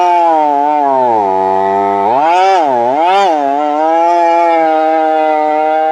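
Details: Chainsaw before switching to Cerma products; high two-stroke whine sags sharply in pitch and recovers unevenly under throttle, bogging down quite a bit. Saw then cleaned and changed to Cerma oil.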